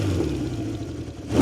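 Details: 1970 Honda CB750 K0, rebuilt engine with 2,000 km since: deep, smooth four-cylinder growl climbing cleanly on throttle, even firing, no misses; sound called brutal; normal exhaust note when revving.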